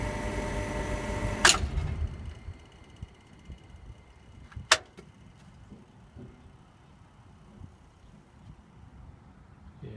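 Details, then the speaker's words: Refrigeration compressor after the breaker was reset: a low electrical hum, a sharp bang, another crack, then near silence as it tripped power for the whole site; a cracked oil splasher had damaged the motor internally. "definitely looking something's gone wrong inside that"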